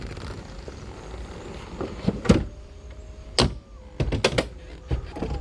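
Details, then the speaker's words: Mercedes 300SL R129 after roof control module repair, test module connected but not bolted in: windows drop first with smooth motor hum, then roof pump whines steadily between clean latch thunks; normal roof and window operation. "so we hit the switch windows obviously follow they go down first well you know the normal operation roof works just"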